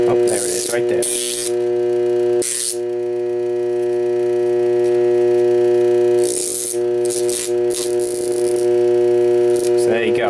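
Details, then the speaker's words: Armature from a 3000 W DC generator on a growler: loud steady hum with bursts of sharp buzzing rattle as the test blade chatters over the armature. "we'll find the shorted [Laughter] segment should be in here somewhere not making good contact"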